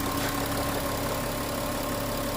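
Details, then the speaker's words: Volkswagen Touareg V6 TDI diesel, after repair of a no-start with P0087 fuel rail pressure code, engine light gone and smoke gone: smooth, even idle with a steady low rumble, no knocks, misses or hunting; healthy. "Ayan umaandar na yung ating makina yan at ito na siya"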